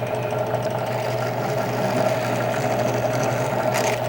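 Steady mid-pitched whir with an even cutting hum, no knocks or grinding; the trimmer is cutting smoothly and sounds normal.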